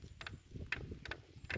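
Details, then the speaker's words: Short dry squeaky creaks, about four in under two seconds, as hand pressure is put on the saddle of an unbranded AliExpress carbon disc road bike after 600 miles; saddle clamp still creaking after an attempted fix. "So you can imagine with my full body weight on this saddle, just every bump creaks so loudly. It just creaks like crazy."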